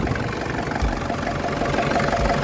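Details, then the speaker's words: Nissan ZD30 3.0 diesel, previously no-start from failed electronic control box on back of injection pump, after box repair: starts easily, smooth, even clatter at steady idle with no misses or knocks; normal idle. "มยลองเลขดูหน่อยอโอเคถือว่าสมบูรณ์นะครับถือว่าสมบูรณ์นะครับ"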